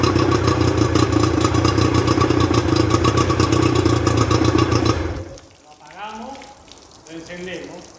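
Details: Rebuilt Johnson 50 HP two-stroke outboard on a Taylor 5.25 m boat, thermostat fitted: steady, evenly pulsing strong drone with no misfire before shutting off; healthy normal running.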